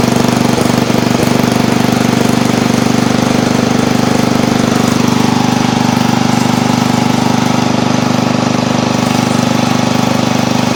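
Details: Old Montgomery Ward Power Kraft lawn tractor, single-cylinder engine, choke/throttle full up after cleaning: pops along steadily at a fast even beat, no misses in this stretch; a stutter appears later while driving in gear.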